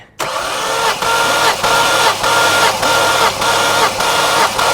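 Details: Cranking during a compression test on a car with a coolant leak: starter cranks with an even, regular rise and fall about every half second, no dragging; readings about 180–190, well within spec, compression even.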